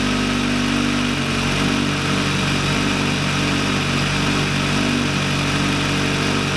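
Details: VW Lupo 1.8T with GT30 turbo, first start after engine damage and rebuild (H-beam rods, new bearings, 2 mm head gasket): steady, even idle hum with an unchanging tone, no knocks or ticks; runs very well.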